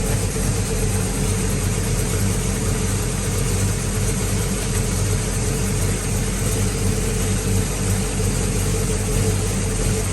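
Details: Circa-1970 Pontiac GTO V8 with new 2.5-inch aluminized exhaust, still cold and warming up: deep, steady idle burble with an even beat and no ticking or knocking.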